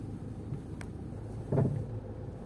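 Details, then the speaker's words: Range Rover Evoque driving: sharp hollow thumps and frightening knocking from the front suspension, left front side, over road rumble. "всем привет ренджа веры волк у нас сегодня жалоба на стук в передней подвеске и на стук с левой передней стороны сейчас будем разбираться поехали слушаем что у него стучит [музыка] какие-то ужасные страшные звуки"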